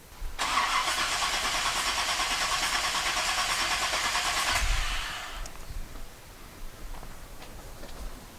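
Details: Small block Chevrolet 250 cranking during a compression test after valve lash adjustment with roller rockers: about four seconds of steady, even starter cranking at roughly three beats per second, no misses; cranking sounds normal, compression slightly improved.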